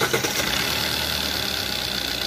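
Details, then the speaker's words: 2020 Maruti Ertiga diesel at idle with the engine mount unloaded: smooth, steady idle with even rhythm and no boom or shudder inside; mount found torn and due for replacement; normal idle. "अब engine का आवाज़ जो है सही हो गया, अंदर जो साउंड सुनाई दे रहा था देखिए वो साउंड नहीं है, कोई साउंड नहीं है।"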